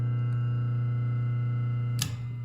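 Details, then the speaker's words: 1998 Patton 20-inch high-velocity fan motor after disassembly, cleaning and oiling, first test run without blades: steady, low, even hum with no rattle or scrape, switch clicks through high, medium, low; nice and quiet. "There's high, there's medium, low. Nice and quiet. Perfect."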